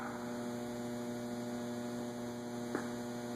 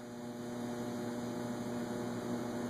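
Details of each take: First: Robbins & Myers antique five-blade ceiling fan on a remote receiver, set to forward on low: constant electrical hum with one click and no rising blade whir; the motor stalls on low, thought to be because the low-speed capacitor value is too small. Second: Antique Robbins & Myers five-blade ceiling fan (circa 1945) with three speeds and reverse pull chain, running forward on high: smooth, steady electric hum with a constant low tone, no rubbing or ticking; running evenly.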